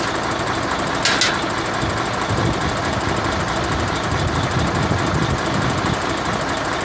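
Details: Mercedes-Benz Actros 1844 truck with a hard-starting-every-morning complaint: steady, even diesel clatter at idle with no misses or knocks, engine running smoothly.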